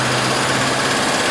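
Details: Ford E350 7.3 PowerStroke turbo diesel just restarted after fuel-system repairs (injectors, sensors, turbo up-pipes, fuel filters) on a hot day: steady, even diesel idle hum with no stumbling or knocking; normal idle.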